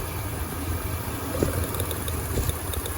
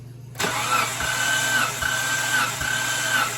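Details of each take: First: 2003 Mitsubishi Montero Limited; the previous owner was told the timing belt had snapped. A rough, uneven idle with a loping shake, sounding like a misfire. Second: 2003 Mitsubishi Montero compression test while cranking without firing. The starter whirs with slow, even compression beats; readings are about 140, 145, 155, 160, 160 and 150: normal, even compression.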